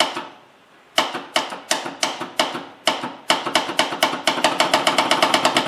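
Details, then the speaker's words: 1954 Ford Skyliner with a rebuilt carburetor and primed fuel bowl, first start attempt: sharp single clicks quickening to about two a second with no cranking. Solenoid was replaced and the starter suspected, but the cause was a bad battery terminal connection. "Our solenoid is apparently no longer working."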